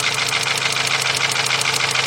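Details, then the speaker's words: 2.0 Volkswagen at idle: uneven idle with a sharp, regular ticking stumble about six times a second; cylinder 1 misfire, with spark seen arcing out through the side at number one. "I need to look at number one this thing was actually arcing out through the side hu"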